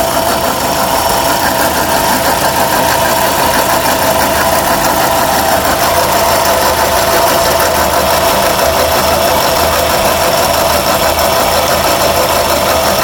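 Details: 2006 Suzuki Forenza at idle with a rough ragged ticking and a thin metallic ring over the engine note; the owner does not know the cause.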